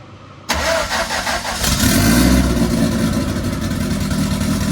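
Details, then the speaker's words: MK1 Fiesta Zetec turbo build on first start after ECU fix catches after cranking and settles into an uneven, lumpy, loping idle, still rich and untuned but acceptable for a first start; rich rough running. "I can live with that for a first start."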